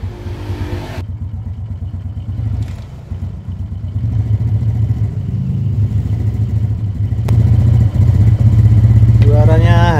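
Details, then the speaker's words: Honda Karisma/Supra 125 single-cylinder after a power upgrade and reassembly, fitted with a Shogun SP exhaust (softer tone, claimed ~25% more power): steady, even low idle thump without clatter or misfire, rising slightly at the end; normal running. "Nah, ini knalpotnya pakai Shogun ya, pakai Shogun SP knalpotnya, jadi suaranya lebih empuk, suaranya halus, normal, dan power tenaga pasti naik ya, naik sekitar ya 25% adalah tenaganya, jadi powernya lebih dapat, akselerasinya juga lebih bagus."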